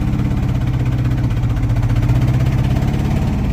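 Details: 1979 Dodge truck, sat over 10 years with engine problem, finally idling: deep lumpy idle with uneven gallop and repeated missing beat in exhaust; dead cylinder misfire, engine being replaced by a rebuilt one.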